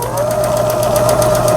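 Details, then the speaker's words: Riccar Stylist 9000 sewing machine after full teardown and repair, stitching fabric: motor whine rises then holds steady, needle ticking evenly about seven times a second; smooth, clean stitching. "옷감을 밑에 넣어주고, 전체적으로 다 뜯어서 손을 봤기 때문에 부드럽게 작동이 될 거로 생각되어집니다."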